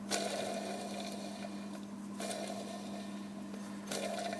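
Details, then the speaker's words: 2002 Jeep Wrangler X 4.0L, NV3550 5-speed removed: hand-spun clutch throwout bearing gives a dry, gritty rasp with rough catches, metal shavings in bell housing; noise at idle clutch out, first/second gear grinding. "hear that bearing's pretty much shot can see it doesn't spin right either got a bunch of metal shavings here in the bell housing as you can see seems like that bearing just just fell apart"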